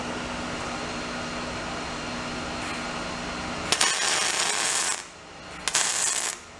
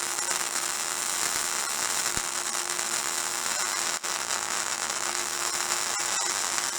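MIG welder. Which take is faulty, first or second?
second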